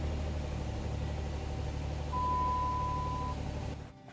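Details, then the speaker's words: 2006-2014 Dodge Charger after replacing the driver's-side (left) fuel pump: steady mid-pitched electric whine for about a second over a low hum, then stops; normal fuel pump priming. "Okay, so I decided to set up the camera and let the fuel pump prime just so you can listen to it."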